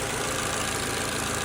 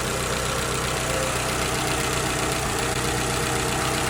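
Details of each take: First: Petrol engine with a P0303 cylinder 3 misfire, after new ignition coil and spark plugs (oily coil, valve cover gasket leaking): idles smoothly with an even steady beat, no misfire. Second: Petrol car with check engine light and P0303 cylinder 3 misfire, heard under the hood at idle: uneven, stumbling beat from a single cylinder misfiring.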